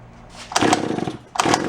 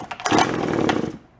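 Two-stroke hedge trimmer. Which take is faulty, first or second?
second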